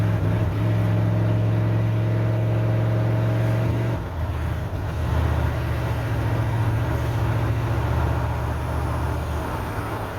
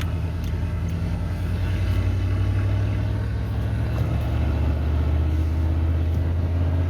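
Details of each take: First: 1988 OBS truck, warmed up, after new ignition module, cap and rotor: uneven, lumpy idle with an irregular stumble three to four times a second. The misfire persists and is later traced to the rotor seized to the distributor cap. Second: 1988 OBS truck after a new ignition module, cap and rotor to cure a misfire, warmed up and on a road drive: steady, even low rumble with no stumbles, pops or skips; running much smoother.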